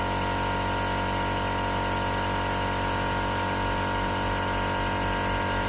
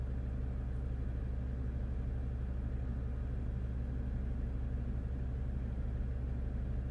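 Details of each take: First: 2015 Jeep Grand Cherokee Overland Quadra-Lift air suspension, compressor replaced and fault repaired (codes C156E, C15D9): steady, even hum with no stumbling or pitch drop as the vehicle rises; normal compressor operation before calibration. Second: 2015 Jeep Grand Cherokee Overland Quadra-Lift air suspension, after compressor replacement, codes C156E and C15D9: loud steady compressor drone runs on but car never lifts, suspected low air mass in system. Compressor running continuously.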